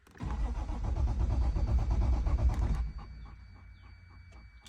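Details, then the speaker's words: 1989 Toyota Supra MK3 Turbo cranking evenly for about three seconds without firing, then fuel pump whir; fresh 93 octane and Seafoam added, no spark found, about nine volts noted; crank no start. "hit a fuel pump why don't we not getting no spark"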